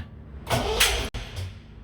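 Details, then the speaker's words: MGB Roadster, battery booster wired to starter: short starter whirr turning over without firing; easy-start to be sprayed into corroded, oxidized carbs; crank no start, no fuel delivery. "wow it's turning over but that's the start um i think i'm gonna spray some easy start down the carbs and see if that might help it fire"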